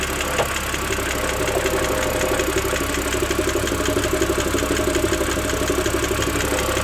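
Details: BMW 330i N52 at idle, 10–15 minutes after a cold start: a fast, light, steady ticking, about four per second, over a smooth idle; top-end tick of unknown cause.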